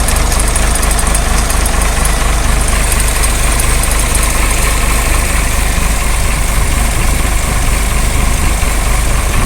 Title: Tata engine problem,